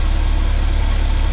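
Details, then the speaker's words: 1979 GMC Vandura G25 V8 running warm with a vacuum gauge attached: deep, heavy rumble that stumbles at one engine speed, like a couple of cylinders missing, and is fine past it. The vacuum gauge stays steady; the owner plans to adjust the timing and replace the plug wires. "It's almost like it's missing a couple cylinders, so we're going to adjust the timing. Then when it cools down, I'm going to change these wires out. But it's just that that speed."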